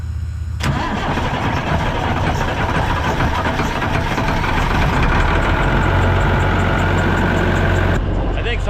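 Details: Vehicle started on jumper cables from the old Sonoma after its battery was found dead or low: brief crank, then the engine catches and settles into a steady, even idle; weak battery was the likely reason for the slow start.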